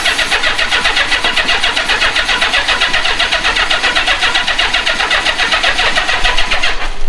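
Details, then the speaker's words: Old marketplace Honda Goldwing motorcycle, rat debris cleaned from the airbox and starting fluid sprayed in: steady rhythmic cranking at about two beats a second that never catches or speeds up. It cranks but won't fire; owner suspects an ignition problem and plans to check spark. "Let's see if we're getting spark cuz it's not firing."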